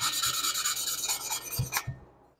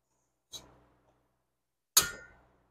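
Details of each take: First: Lapping a valve on cylinder two of a rebuilt 1976 Porsche 912E Type 4 2.0 head (VW Type 4 design): rhythmic back-and-forth rasping strokes growing quieter and smoother, the tone sought as the valve face beds properly into its seat. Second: Valve lapping on a 1976 Porsche 912E Type 4 2.0 head (cylinder two), engine fitted in a 1967 Porsche 912: scrapes, then a coarse gritty back-and-forth rasp about three times a second. Seat not yet mated; the tone should get quieter as lapping progresses.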